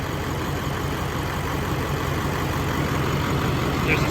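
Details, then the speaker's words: LBZ Duramax diesel swap, running on a rigged-up temporary fuel system: even settled idle clatter with no knocks, ticks or funny noises; occasional slight lope blamed on the lift pump; normal idle. "key on and then right here just like that motor sounds good no funny noises"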